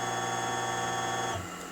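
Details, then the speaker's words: Dumpster-salvaged 30-inch industrial pedestal fan, switch cut out, running on high at about 1.18 A: steady electric hum with a rough buzzy edge; the motor is noisy and the bearings sound worn, and it may have overheated. "you can hear the motor is awful noisy and when this spins you can hear the bearings are not in the best shape"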